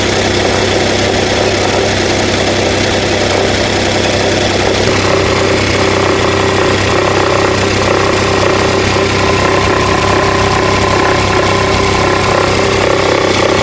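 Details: Nissan Note NISMO e-POWER (HR12 engine), bought used, about six months after delivery; steady idle with buzzy, rattly overtone and slight tone change partway through; abnormal engine noise, cause unclear.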